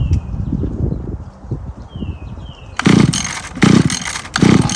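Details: Free Mantis Mini Tiller with replaced carburetor and fuel line, cold day, choked and primed: sputtering bursts fire and fade without catching; carburetor needed adjusting before it would keep running.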